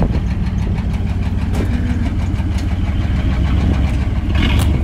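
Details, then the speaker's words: Chevy S10 petrol engine running with no oil pressure, already knocking before being driven to destruction: rough heavy low rumble with uneven pounding underneath; engine knock, cause not pinned down. "oh that sounds so bad no oil pressure dude"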